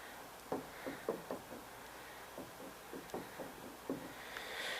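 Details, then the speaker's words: Gravely old style 50 inch mower deck spindle rocked by hand gives sharp metallic clunks from about a quarter inch of play. The bearings are worn and the spindle needs pressing apart for new bearings. "see the amount of play this has tried to hold the camera steady but think you guys can hear it clunking"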